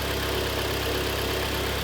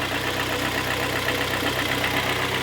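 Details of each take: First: 2013 Kia Sportage G4KD, 169,000 km, AWD automatic, after full engine overhaul for piston knock and cylinder scoring, heard from outside: even, steady, quiet idle with a smooth low hum and no knocking or ticking; normal idle. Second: 2013 Kia Sportage G4KD, AWD automatic, 169,000 km: steady idle with a hard, even diesel-like clatter from several cylinders; endoscopy found scoring in all four cylinders, causing piston slap.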